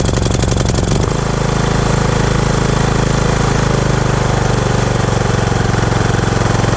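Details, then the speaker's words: Riding mower single-cylinder no-start fixed at the solenoid switch, carburettor not needed; quick crank, catches at once and settles into a steady even thump with no misses or surging: normal running. "And there you have it. I wasn't for sure if it was going to be a clogged carburetor or what was going on, but luckily it was just this switch."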